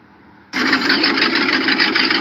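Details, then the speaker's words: V8 in a dump truck after correcting swapped cylinder 2 and 7 spark plug wires and timing: steady, even roar with no misfire; normal running. "this is the engine in proper time with the proper spark plug wiring"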